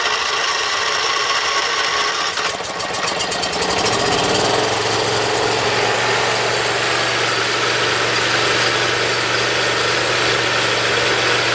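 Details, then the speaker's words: Briggs Intek V-twin on a Dixon mower, after valve lash adjustment, reaming of the Nikki carburetor low-side jets and governor adjustment. After a few seconds it settles into an even, steady drone, and the surging is cured. "All right, show me no surgery."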